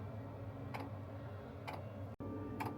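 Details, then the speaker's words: Sherp ATV Webasto diesel heater drawing fuel from the diesel tank: light sharp clicks roughly once a second over quiet hum; dosing pump metering fuel normally. "And so you can probably hear that click click sound. That click click sound is the Wasco heater. And what it's doing is it's drawing fuel from the tank."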